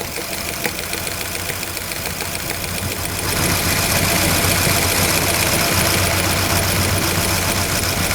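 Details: Engine running with valve cover off during valve lash adjustment, hot oil spraying: sharp regular tick about four per second; one rocker with too much valve lash.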